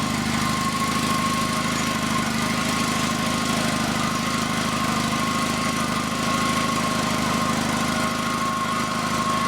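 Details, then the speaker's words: FF/18 vehicle's replacement two-cylinder liquid-cooled Honda engine from a tractor, first shakedown run after install: steady, even buzzing at constant speed with no knocks, misses or surging. Passed the shakedown run; normal. "looks like she passed the first shakedown run"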